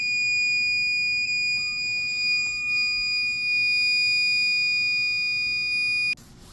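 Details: APC Back-UPS BE550G sounds one steady, shrill high-pitched alarm tone for about six seconds, warning of a failed internal 12V 7Ah sealed lead-acid battery (RBC17) that needs replacing.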